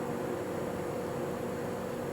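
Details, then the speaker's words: Vintage GE box fan (W-series) that sometimes sticks at the bearing after standing: once up to speed, steady quiet hum with constant mid tone, no rubbing or ticking; oiled and cleaned motor, normal running. "Once it gets moving, it runs just fine."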